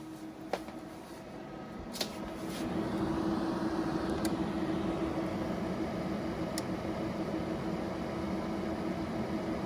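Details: EcoFlow Delta Pro on firmware 1.0.0.74: sharp single clicks every couple of seconds over soft fan hum; relay keeps cycling, faster than earlier firmware, unfixed.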